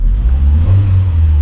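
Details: 2002 Mitsubishi Lancer OZ Rally after valve cover gasket replacement, cold engine idling slightly high: quick deep throttle blip, revs rise and fall cleanly with a low even rumble; normal free revving.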